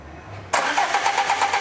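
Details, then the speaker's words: Peugeot Partner with a TU5 JP4 petrol engine: the starter cranks with a steady rhythmic churn but the engine never starts, because the fuel pump positive wire gets too little voltage; it runs once 12 V is fed directly. "não pegou, tá? Não pegou. Por quê? Porque tá vindo pouca voltagem no positivo aqui."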